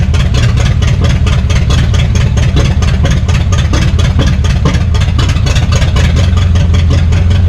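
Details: 1962 Cadillac hearse sitting 40+ years, junkyard engine started after choking it: steady, even idle with regular firing pulses, no misses or knocks; running healthy, belt still needs sorting.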